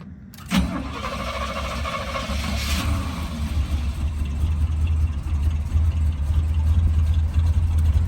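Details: 1973 Chevy C20 after a new fuel filter, spark plugs and an oil change: it cranks, catches and settles into a fairly steady low idle with slight unevenness. Listening for the fuel pump; it idles better, though the carburetor still wants attention.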